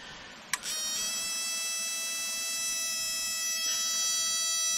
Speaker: kind of shade it hopefully you can see that got a nice nice good spark